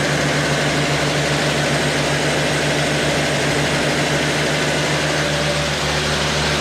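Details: Car with 65,000 original miles, tagged El Camino/350 small-block, running after restoration: steady, even idle with a smooth low pulse, no knocks, misses or smoke; the engine is running cleanly and healthily.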